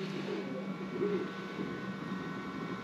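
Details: FlashForge Adventurer 3 Pro 3D printer after replacing extruder gear: steady low motor hum with soft shifting tones as the head moves, no clicks or skips; printing normally.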